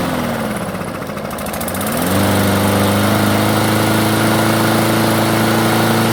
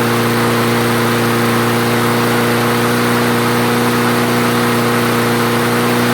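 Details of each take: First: Craftsman self-propelled mower, carb previously cleaned: starts and runs only at low idle, stalls when self-propel engages or when cutting. Hunts low, then settles into a steady, slightly lumpy idle that never climbs. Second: Craftsman self-propelled mower after the carburetor jet was cleared, restarted with fuel and three primes: steady, even drone at constant pitch, no surging, hunting or stumbling; normal running.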